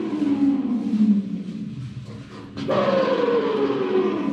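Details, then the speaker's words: Reduction gearbox bearing removed from a Mercedes B-Class Electric Drive (Tesla-sourced motor), spun by hand on a table: a rough, droning whir that sags in pitch as it spins down; the outer race has a worn crater. "if you open it, you can see that there is a crater on the outer cage"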